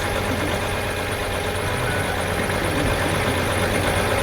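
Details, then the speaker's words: Farm tractor diesel started without a problem for a charging check, with a battery pack fitted; steady, even idle with a low, regular beat, no knocks or misses; 13.3 V, then 14.2 V at the alternator; a belt squeak under load suggests a bad tensioner. "Oh, it started no problem. Let's see where our voltage is."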